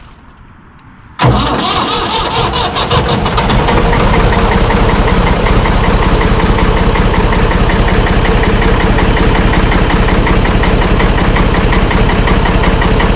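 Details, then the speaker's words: Ford 445 diesel tractor, owner thinks a 1970s model, bought at online auction, no clutch pedal: cranks once and catches straight away, then steady, even idle clatter; started pretty easy, healthy start and idle. "Well, it started started up pretty easy. They said it run, so that's good."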